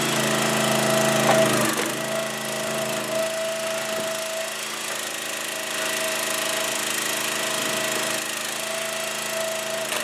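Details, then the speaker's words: Huskee 22 ton log splitter small engine with a cold-start problem, owner suspects the fuel line drains; once started with fuel fed in, holds a steady, even drone with no misses or knocks; running fine. "because like I said once you get the hang of it and you realize that all you got to do is just feed some fuel into it and then it'll take off and after that it runs like a champ"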